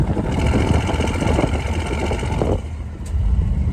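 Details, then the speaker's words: Chevy Van on first drive of summer after power steering pump replacement: low engine drone with loose, irregular body rattles, source not pinned down; engine itself sounds good. "First ride of this summer. Woohoo! She's running as rattly as ever, as you can probably hear."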